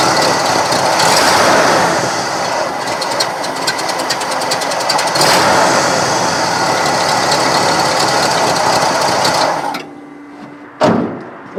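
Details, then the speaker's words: 1970 Cadillac Sedan DeVille from a junkyard after new plugs, cap and wires: runs rough and uneven with irregular stumbles before shutting off; owner suspects lean running from dirt in a carburetor jet. "does not sound better I don't think that's better at all sounds like it leaning out"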